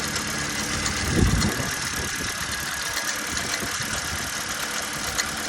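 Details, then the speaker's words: Idling engine with the VVT-i electrical connector unplugged and the engine management light on: light, uneven metallic rattle over the running note, suspected timing chain or cam gears, not confirmed; mechanical issue, car has drivability problems. "going out you can actually still hear the camchain rattling so and whether it's a cam chain whether it's um the gears you can hear the battle"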